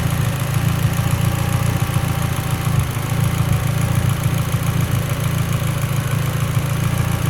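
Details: Mitsubishi Evo X, lean idle: deep idle rumble stumbling unevenly with occasional dropped beats; idle misfire, cause suspected lean, not confirmed.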